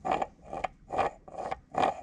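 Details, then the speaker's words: 1966 Mustang clutch job, new taller throwout bearing slid by hand onto its guide sleeve: rough metallic scraping and grinding as it binds on a raised edge that will be filed down until it glides smoothly. "I'm going to file that down just a little bit until this Glides on there smooth without you hearing a grinding noise cuz that's not good"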